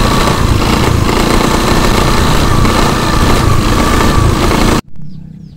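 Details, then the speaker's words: Honda BeAT FI scooter, loud gritty rattle from the CVT housing like a shattered bearing, heard only on initial throttle when pulling away and gone from mid revs up; worn CVT final-drive bearing noise. "ada suara aneh ya suara aneh Suaranya berisik sekali apabila kita Nyalakan pas mau jalan itu awalan ada suara berisik berisiknya itu seperti ada laher yang hancur di dalam sini ya"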